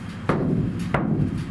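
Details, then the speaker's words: Iveco Daily ex-fridge van camper conversion: the bare roof panel is banged before sound deadening. Each tap gives a dull boom that hangs on long after the hit; the undamped panel rings like a gong. Some roof panels have come loose and need rebonding. "It's like a gong. It is, isn't it? It goes forever, doesn't it?"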